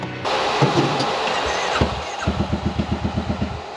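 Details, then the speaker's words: Honda Talon with Kraftwerks turbo engine, after a speed run at El Mirage where it seemed to break up: the starter cranks slowly, with about four uneven compression pulses a second; one cylinder is suspected, not confirmed. "yeah I think one of the cylinders how it cranks it sounds weird the well it sounds slow"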